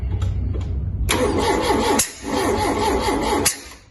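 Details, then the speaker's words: Mk2 Ford Capri 2.0 GT Pinto, long-dormant: spark confirmed and firing order 1-3-4-2 checked while the distributor is rotated by trial and error. Starter cranks in rhythmic bursts that nearly catch but never fire. No-start from incorrect ignition timing. "okay on again okay we know we're getting spark however it doesn't seem to want to play ball"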